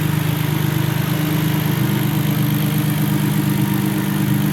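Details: BMW E46 with bottom-mount turbo, being tuned (10 psi spring, tried 12 psi), just after 3rd/4th gear pulls: steady, even idle with a smooth low rumble, no knocks, misses or hunting; intake cold with heat shields; turbo engine healthy.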